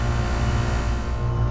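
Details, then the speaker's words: McQuay water-source heat pump on R-22 cooling after a new contactor, with a clean strainer and a fairly new control board. A steady deep hum with no rattles or surging, at 55 psi back and 185 psi head, no longer over 300 psi: normal cooling operation. "right everything's going well got a 55 pound back 185 pound head not over 300 anymore and climbing everything looks pretty good"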